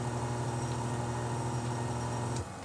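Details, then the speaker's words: Furnace blower motor removed and bench-run on medium speed, possibly idle about 20 years: steady, smooth low hum with no rattle or scrape until it cuts down; normal blower operation. "there's the medium that's nice and quiet no weird nose noises"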